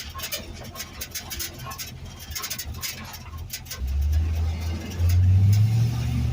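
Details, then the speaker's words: LS-swapped 1948 Ford F1 rat rod driving on gravel, recorded in cab before sound deadener and carpet: heavy road rumble with rattles, creaks and squeaks; loud bare cab, not muffler dragging despite how it sounds. "It sounds like the muffler's dragging on the gravel. It's not. Audio sucks. But yeah, so it's loud, creaky, squeaky, whatever."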